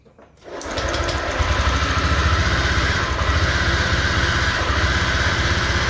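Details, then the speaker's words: Honda Vario 125 FI scooter on its side stand, fuel pump and pressure tested normal: engine settles into a fast idle with a rough whirring whine over the beat; worn crankshaft bearing, needs engine teardown/overhaul. "ya jadi suaranya itu seperti itu ya Apa yang harus dilakukan yaitu adalah perbaikan pada bagian laker kuk As ya jadi harus turun mesin kalau pengin suaranya itu halus lagi itu kan ada bunyi ngiungnya ya"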